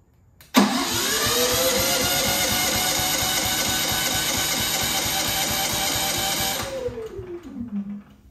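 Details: Genmax GM9000iED inverter generator after ignition module replacement (suggested by support; owner doubted it would help): catches at once, revs to a steady buzzing run about six seconds, then dies and coasts down; starts then shuts off, previously with backfire.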